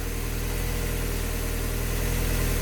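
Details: Warm engine idling with a low, steady, even rumble, no misses, knocks or hunting, during the coolant-system test after a block gasket leak repair; healthy idle.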